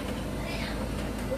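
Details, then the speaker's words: Samsung 9 kg heat-pump clothes dryer running, microphone held right against the machine and drum: low, even rumble and soft steady hum, no squeal or grinding; only rattle is buttons/fasteners knocking inside; normal quiet running. "Các bạn này mình dí sát vào máy thì không có tiếng gì, cái tiếng lọc cọc chính là tiếng máy do các cái khóa nó đập vào. Còn đây mình đang dí sát vào cái vần của máy, hoàn toàn không có âm thanh lạ nào phát ra, rất là êm ái."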